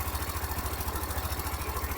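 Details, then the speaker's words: Hero Xtreme 125R 125cc single-cylinder bike at 4000 km, mic near engine: even idle with light quick ticking keeping pace with engine speed; owner says this tick shouldn't be there, suspects overheating; valve train tick, cause unconfirmed. "यह जो इसके अंदर minor स ये टिक टिक की बात आ रही है ना यह बात जो है इसके अंदर नहीं आनी चाहिए"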